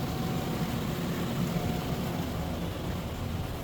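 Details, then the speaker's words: Car after radiator fan replacement, after a test drive; smooth, even whoosh with low steady rumble, no rattle, scrape or wobble; previous noise gone; cooling fan running normally. "Okay naman. May ilaw. Tapos wala na yung ingay. So okay na."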